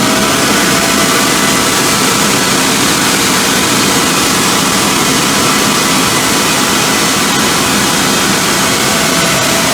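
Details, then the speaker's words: 2005 CompAir L45SR variable-speed air-cooled rotary screw compressor, 60 HP 45 kW motor, enclosure doors off, exhausting full air through a pipe with no dryer: loud steady air rush over even hum, no knocks, rattles or squeal; running smoothly. "that's a lot of error in a short amount of time you need air this is the compressor for you"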